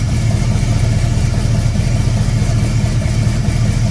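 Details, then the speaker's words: Squarebody Chevy C20 V8, first start after a cam swap: steady starter cranking with an uneven chug and no firing or pickup; the distributor is installed 180 degrees off, and the fix is repositioning it. "well looks like i got the distributor 180 degrees off so i'm going to move the distributor and then i'll come back"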